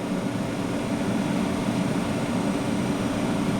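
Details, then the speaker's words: 3rd-gen Chevrolet Camaro heater/A/C blower, one of four speeds dead, running on second speed while checking resistor voltages (about 10.2 V at switch vs 12.1 V battery): steady even air rush with low hum, no rubbing; blower works normally on this speed. "and the blower is on the second speed rather than the bottom"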